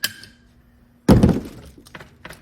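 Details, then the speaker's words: Luna Cycle Apollo e-bike rear suspension linkage pivot bolt (metal bolt, linkage and shock, no bearings) at 6 Nm still has play: quiet, then a sharp dull clunk as the rear is worked; fix is torquing to about 16 Nm. "So you gotta go very, very, very tight on this bolt. Otherwise it's gonna make noise and have a little bit of play."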